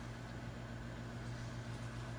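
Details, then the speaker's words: Gas fireplace insert running normally after cleaning the thermopile; pilot had stayed lit but the fire wouldn't come on with the switch. Quiet, steady low hum from burner and fan, no clicking or cutting out; normal operation. "working just like it should when I hit the switch that's right up"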